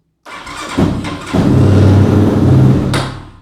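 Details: Chinese Spark motorcycle with carburettor, trying the choke: engine cranks, catches and revs unevenly for about two seconds, then fades away; still hard starting, won't stay running.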